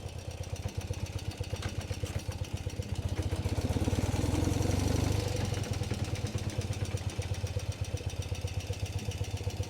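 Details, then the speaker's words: BMW R60/7 boxer twin after adjusting points, tuning carburetors and raising idle: steady low thump with even firing pulses settling to a smooth idle, takes throttle well; sounds healthy. "Now it works solidly on the reverse, it also takes nice throttle."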